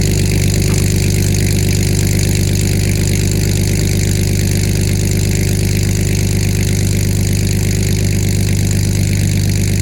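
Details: BMW E46 after aftermarket headers were installed and the leaking holes at the manifold were blocked with bolts. A steady, even idle with a deep rumble and no puffing or ticking, so the exhaust leak appears sealed.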